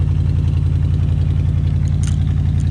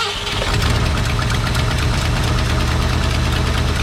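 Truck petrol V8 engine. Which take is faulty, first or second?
second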